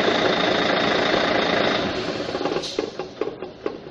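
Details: Volvo truck D12D diesel with cab raised, shut off and spinning down; roar fades, leaving sharp rhythmic ticks about four a second at the front that persist after shutdown, from a stuck fan hub bearing needing replacement.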